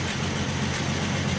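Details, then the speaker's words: 1967 Mustang 200 cubic inch inline six, sat about 22 years, after electronic ignition, new coil, plug wires and fuel filter: smooth, even low idle, no knocks or rod noise, oil pressure good; normal idle. "So there she is after over 18 years. I think it's closer to 20. she's just running. You just can't kill these old inline 60s."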